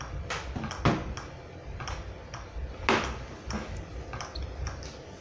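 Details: Philco TCM-2044 TV: dull, uneven thumps roughly every two seconds over a quiet hiss, with the standby light blinking and the screen pulsing; the power supply cycles on and off, pulsing through the speaker, traced to voltage on capacitor C725 and an open resistor.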